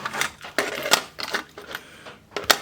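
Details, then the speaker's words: Pioneer CT-S405 cassette deck: sharp irregular clicks and clatter in bursts about every half second from the tape transport; the mechanism is jamming and the deck won't do anything. "jamming up oh it won't do anything"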